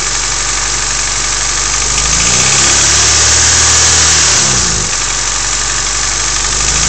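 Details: Honda EF sedan D15 petrol engine idling with steady fast tapping about four per second over a hissy top end; knock or lifter tick suspected, cause unclear.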